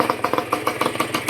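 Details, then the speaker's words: Honda NSR150 RR-W two-stroke, heavily worn engine freshly rebuilt, fitted with a split N4 pipe and power valve closed: starts easily, good compression, crisp slightly uneven fast-idle popping with no knocks; normal idle, run in 1,000 km. "ก็ประมาณนี้ครับสตาร์ทง่ายกำลังอัดดีรันอินก่อนสัก1,000กิโลเมตรก่อนใช้งานนะครับ"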